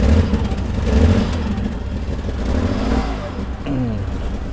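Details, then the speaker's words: Mercedes-Benz W126 300SEL, starts only in N, before repair: uneven surging revs and lumpy low rumble, heavy shaking, gasoline smell; initial judgment fuel distributor or high-pressure line, later fuel distributor and injectors replaced. "So Brother Zhang's initial judgment is that it should be. The condition of the oil separator. There might be an issue with the fuel distributor or the high-pressure line."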